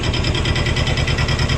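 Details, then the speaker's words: Cub Cadet 128 diesel tractor after clutch and pressure plate replacement, engine moved forward on 3/8 bolts so the clutch driver no longer rubs the bushing: steady idle with an even rapid rattle on top; clutch still somewhat noisy, cause not pinned down. "we'll fire it up here now the clutch is still kind of noisy"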